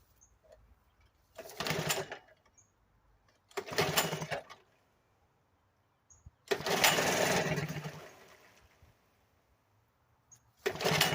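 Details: 1975 Sears Gamefisher outboard after carburetor repair, first start in a water test barrel, choke out, low fuel (couple cups): catches in one- to two-second bursts with dead gaps, never steady; needs adjusting.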